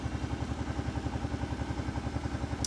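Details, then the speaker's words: 2008 Kawasaki Brute Force 750i fuel-injected V-twin with small oil leak and clutch problems, just started: even, quick thumping idle with steady beat and no clatter or ticking; nice and quiet, normal idle. "engine sounds good that's a good sign all mine are Clank Clank Clank Clank Clank they don't sound like that that thing's nice and quiet"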